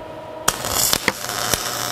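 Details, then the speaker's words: MIG welding 2-inch (50 mm) steel tube with about 3 mm wall after turning the wire speed down from globular/short-arc: smooth, fairly quiet steady hiss with only a few pops, not sizzling bacon; correct spray-transfer arc. "whoa that's quiet that is not sizzling bacon like I'm used to hearing yep that's spray arc"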